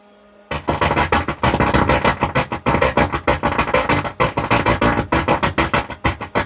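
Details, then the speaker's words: Stranger PBT 800 amplifier playing music via direct line input, volume raised then lowered; loud but rough, crushed distortion either way, traced to a faulty driver board that needs repair. "আমি সাউন্ডটা কমিয়ে দিয়েছি, একই আওয়াজ। তো বন্ধুরা, এই driver বোর্ডটাকে ঠিক করতে হবে, এটা প্রবলেম আছে।"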